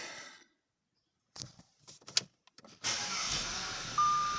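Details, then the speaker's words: Audi A4 B8 after an engine rebuild (new rings, honed cylinders, collapsed lifters; sat three years) and a starter-cable electrical fault, partly disconnected: a few clicks and brief cranking, then it catches and settles into a smooth, steady idle. "look at that it's alive yeah it's got the lights on but half of the car is disconnected it's running very smooth there it is"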